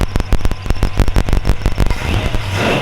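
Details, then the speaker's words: 1938 Ford two-door bustle-back sedan retro-rod, flathead V8, 5-speed, started on a chilly morning. A quick string of sharp firing pulses catches and settles into a crisp, even run with clean, healthy throttle response. "healthy good throttle response out of a flatty"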